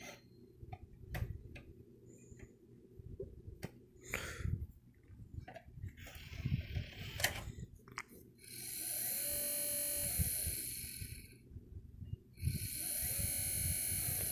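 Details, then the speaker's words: Xbox disc drive after a new laser was installed: scattered soft ticks, then harsh whirring grinding bursts of about two seconds as the disc spins up; sometimes gets the disc stuck, cause unknown. "got the new laser in but listen to it now for some other reason it makes this noise oh or sometimes gets the disc stuck"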